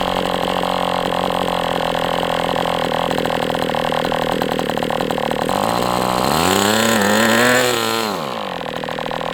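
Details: MDS 68 FS Pro model engine on a break-in run, heavy exhaust smoke: steady high buzz, then smooth rise and fall through a throttle sweep. Running well, better than with the idle bar plug, after carb tuning.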